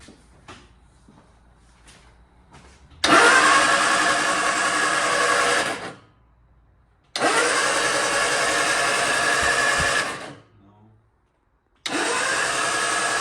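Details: MG Midget during restoration, first crank after rewiring with the fuel pump working: three steady bursts of even starter whirring, the engine turning over cleanly without firing and building good oil pressure; normal cranking.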